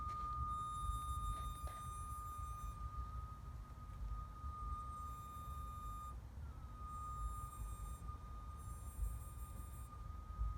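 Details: 2015 Acura TLX 2.4, just shut off and parked in a garage: a steady, high-pitched hum holding one pitch from the engine bay.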